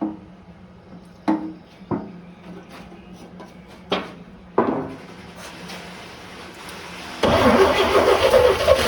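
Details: 1955 Chevrolet 3100 pickup, unrun for years (last inspected 1993), new points, coil and coil wire, fed fuel down the carburetor throat: uneven cranking with scattered pops and coughs, briefly catching; misfire as number 1 spark plug found only finger tight and number 2 loose.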